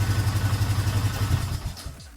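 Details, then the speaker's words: 2012 Polaris Sportsman 500 H.O. ATV during oil change: fast, even low starter chatter for about 1.5 seconds, then cutting out; starter sounds like it stays engaged, suspected and unconfirmed, after earlier flywheel issues. "right that starter sounds like it's staying on that may be how it sounds that that starter don't sound right"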